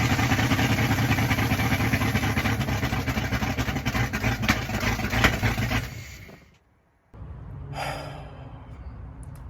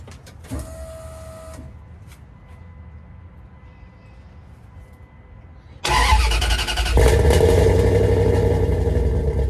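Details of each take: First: 5.2L Magnum V8 truck on open headers before exhaust install runs loud with ragged stumbling beats, then shuts off; misfire because running without manifolds cooked most ignition wires, which need replacing. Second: 5.2L Magnum V8 with new headers and exhaust, restarted after burnt ignition wires were replaced to cure backfiring: it cranks, catches and settles into a steady, even idle with a deep exhaust note and no pops or backfires, running normally.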